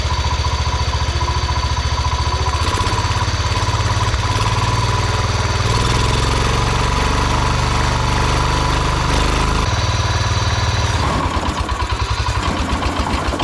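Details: 1971 John Deere 140 H1 riding mower, small single-cylinder engine chugging and hunting unevenly, stumbling instead of holding a steady idle; gummy fuel filter suspected, being tried without a filter. Cause not confirmed.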